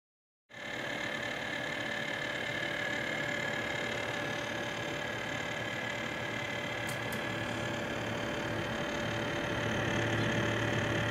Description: This is the infamous rattle / grinding noise plaguing Corsair's Liquid CPU coolers.